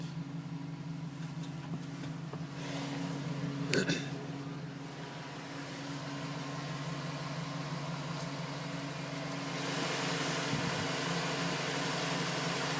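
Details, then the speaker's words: 2010 GMC Sierra V8 with 2,000 miles, warm idle after cold-start tapping stopped at 5 minutes 42 seconds as temperature rose: steady low hum with no tapping, how it should sound; owner had questioned piston slap. "that's how it should sound. As temperature reaches there, it stops."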